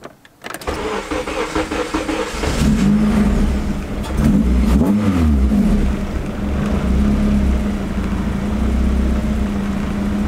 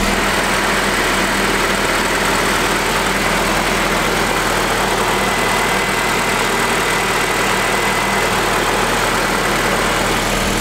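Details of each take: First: Honda Integra with K-series engine on aftermarket ECU (K tuner), idle air control disabled, throttle stop adjusted: cold start cranks and catches, idle hunts and sags, throttle blip needed to prevent stalling, then holds steady. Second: Honda Integra, ported/port-matched intake manifold with 70 mm throttle body, just started after TPS problems, cooling system being bled: steady, even idle with smooth hum and some hiss, no misses or hunting; idling fine.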